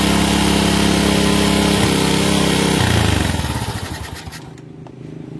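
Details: Honda Supra motorcycle, won't rev fully and throttle slow to drop, after carburettor cleaning with air screw at 1.5–2 turns: engine hangs at high revs and drops slowly; pilot jet too small.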